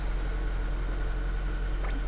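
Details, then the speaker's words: Honda Accord Tourer 7th generation petrol engine at idle, first start after spark plug replacement: steady even low hum with no misfire stumble or knocks; normal idle. "Pierwsza wymiana świec w Hondzie Akord. No myślę, że jest w miarę okej."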